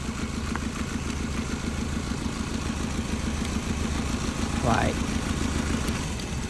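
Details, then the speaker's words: Toyota Prius, 267,000 miles, misfire diagnosis: lumpy uneven idle running on three cylinders; pulling a good coil makes revs dive hard, while one suspect coil shows no spark. Plugs and coil recommended. Misfire when coil unplugged. "so no spark look at that so she's running off of three cylinders"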